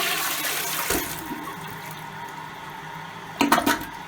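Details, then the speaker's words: Old American Standard toilet that also drips: a brief rush of water quickly fades to a faint trickle and a few gurgles, barely enough to flush, so the handle has to be held down. Weak toilet flush. "as you can see it barely has enough power to flush urine let alone like a lot of toilet paper so in order to get it flush completely you have to do this"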